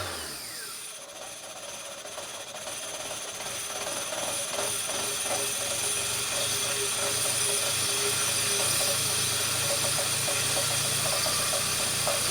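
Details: 1999 Fiat Panda 4x4, 1.1 FIRE fuel-injected, turbo removed and reverted to standard, 230 psi compression on all four cylinders. A lumpy, stumbling idle with irregular surges over a raspy exhaust; the owner suspects missing cylinders and running rich. Cause unknown.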